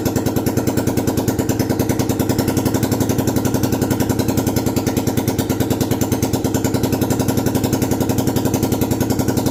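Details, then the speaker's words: 1972 Honda XL250 single after top-end rebuild, standard ignition timing, oil flowing, exhaust off, not a cold start; open pipe thumps steadily and evenly, no knocks or rattles: normal running. "it is ready and it sounds amazing the engine sounds great the exhaust is not on but we're just going to fire it let you guys just hear it"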